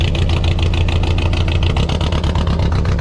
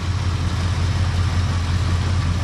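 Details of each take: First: Car at idle, down a cylinder for an unknown reason before the spark plug was pulled: a lumpy idle with an uneven pulse three to four times a second. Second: 1959 car with a 326 cubic inch V8, sat for a few weeks without starting, cold start: a deep, steady low burble with an even beat and no knocks or misses. Normal cold idle.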